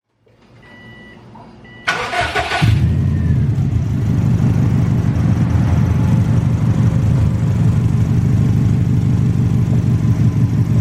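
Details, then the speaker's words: Subaru WRX idling after start-up: rapid, rhythmic puffing tick from an exhaust leak, to be fixed with a donut gasket. "here that that little like that sound that it's making yeah that's an exhaust leak and that's not good because wanna can let harmful gases into your cabin all right potentially kill you"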